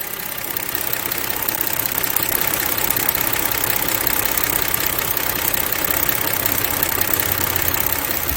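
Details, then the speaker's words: Kia Opirus GH330 V6, engine cover off, after engine oil and coolant service for a creaking start noise: even, quiet idle with light steady valve tick and no creak; quieter than before, normal. "그런데 현재 엔진 소음이 어떻습니까? 들으셨다시피 조용해졌습니다."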